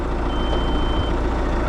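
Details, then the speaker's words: Merlo telehandler at diesel idle: single steady high beep under a second as boom piece hits a misplaced position sensor; sensor suspected faulty, replacement ordered, not confirmed. "It beeps when the piece of the boom was hitting it."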